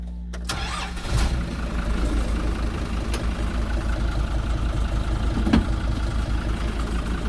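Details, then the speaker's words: Kubota M120 tractor, fire-damaged wiring rebuilt, after swapping the bad computer: engine cranks briefly, catches at once and settles into an even low diesel rumble, no knocks or misses; tractor now moves forward and reverse, running normally. "we're moving folks this is awesome so makes your reverse works yes sir it does awesome"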